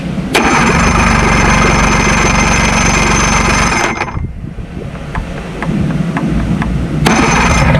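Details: 70hp Johnson outboard on a Nitro 165TL bass boat, lower unit locked up from frozen water, test-started on old battery before new lower unit fitted: fires immediately, steady rapid buzzing idle about four seconds, then shut off; clean healthy start.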